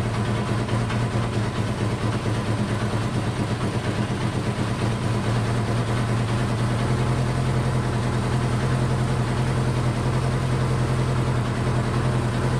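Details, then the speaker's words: Honda CB500 four-cylinder, started on choke; fast idle about 2000 rpm or a little over with a slightly uneven beat, idling too high and smoking; cause not confirmed, owner doubts compression. "all right that's a little high maybe 2 000 a little over i'm gonna let it run for about five minutes"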